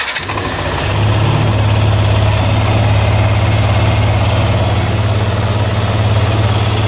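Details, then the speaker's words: Yamaha NMAX V1 scooter after replacing starter motor carbon brushes, started indoors with a rag over the exhaust: single quick crank, fires at once into smooth steady idle; previously struggled to start as if battery were low. "So yun mga boss, one click na lang siya mga boss."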